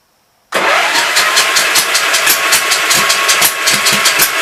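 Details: Gravely Pro 12 (shop's number 3) engine cranking in sudden fast, even chuffs without catching or firing; no compression, owner suspects water got into motor; intake valve sticking, a little fire out exhaust; head to be pulled.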